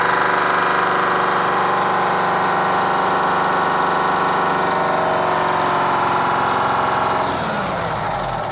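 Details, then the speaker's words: Kenworth cabover diesel truck "Marla" with a fuel problem, idling with an uneven, lumpy beat and a dropped-cylinder stumble before shutting down; misfire from a faulty injector on the third cylinder back on this side, to be replaced. "all right so i'm gonna say third cylinder back on this side is uh needs an injector so we're just going to get the tools and change it"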